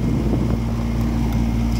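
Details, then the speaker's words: Renault Koleos with a blower that would not switch on: blower motor hums steady and even with no rubbing or squeal once ground is applied by hand at its 12 V-fed connector, showing the motor and circuit up to it are intact. "fíjense en este momento que ahí le estoy poniendo tierra y enseguida se se escucha que se enciende el"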